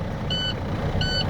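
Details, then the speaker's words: Truck air brake test, engine started with air tanks at zero: two short high beeps about 0.7 s apart over steady diesel idle; low air pressure warning sounding with tanks empty. "our audible sound for our area seeing it's empty"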